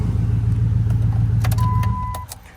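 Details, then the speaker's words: $500 Dodge Ram with dual exhaust, idling; the tach reads inaccurately. A low, even rumble with no skips or smoke and no warning lights, then a chime; it idles smoothly, though the cooling system later builds pressure. "when it's running, it runs nice and smooth. There's no skip. There's no smoke. It's got dual exhaust on it. No warning lights. Sounds good."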